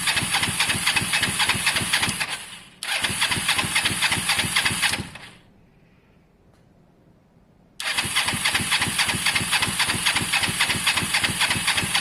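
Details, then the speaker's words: Motorcycle under rebuild (Honda SH125 or Kawasaki ER5), spark plug hand-tight: two long bursts of steady quick starter cranking with a gap, never fires; spark and fuel present, carb possibly clean, owner suspects caked plugs needing clean or change; crank no start. "genuinely think that the plugs are caked guys and they just so even though we're getting spark on the outside i think they need a good clean or change"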